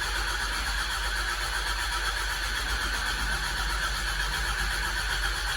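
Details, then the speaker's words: Telehandler engine after the fuel pump was replaced, with milky, airy fuel seen from the mechanical pump line: steady, even cranking whir with no firing at all; no change, so the pump is not the cause of the fuel problem. "it just cranks over now it doesn't even fire"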